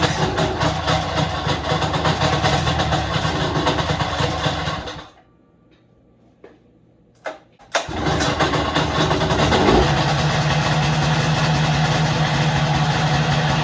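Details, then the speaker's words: Snowmobile two-stroke after replacing cooling fan bearings and re-tensioning the fan belt, test run: pulls over after a pause, settles into a steady, even buzzing idle with no grinding or squeal from the fan. "Yeah, I'd call that a success."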